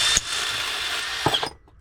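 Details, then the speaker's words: Drill in use while making a grappling hook from a shepherd's pole: high whirring with sharp clicks as it slows; owner suspects the internal clutch clacking and says the drill is on its way out. "You hear that sound, that clicking sound? That's my the drill. It's on its way out."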